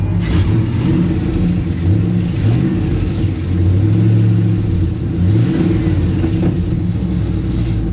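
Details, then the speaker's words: Rough-running 1970 Chevrolet C10 V8 revving up and down with a rough, puffy edge: exhaust leaks at the collector ahead of the O2 sensor read lean, so the fuel system adds fuel. "s adding fuel because of the exhaust leaks so right off the bat we got to fix those exhaust leaks"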